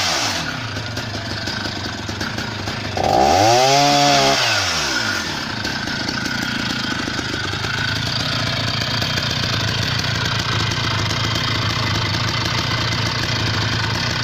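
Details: Husqvarna 480 CD chainsaw, first tank after full rebuild with new OEM piston and cylinder, breaking in: revs cleanly, drops off smoothly, even crisp two-stroke note under cutting load; normal running.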